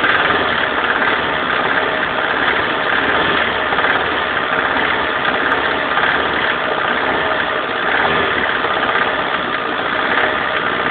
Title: Alfa romeo 145 1.6 TS strange noise from engine